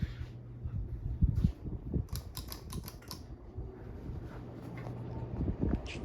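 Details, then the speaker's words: 1980 Sears (Emerson) Turn of the Century ceiling fan, K63 motor, replaced capacitor and pull chain, non-original blades: pull-chain clicks then low, even hum building and holding steady on high, airflow noise; healthy high-speed startup. "There's a nice startup point high. There's high. Some airflow noise for you. She goes fast on high."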